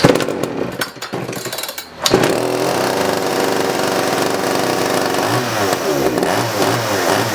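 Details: 1981 Poulan Counter Vibe 4000 chainsaw after ignition module cleaning and repair, final test run; a couple of pulls, then it catches and holds a steady high buzzing run, healthy.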